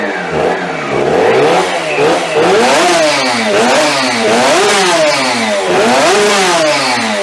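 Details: 3D-printed fuel-injected TST100 two-stroke race engine, first start, no radiator fitted: raspy revving with a thin whine rising and falling with revs. Primary gear-to-clutch mesh set too tight; owner will monitor for gear wear and excess heat.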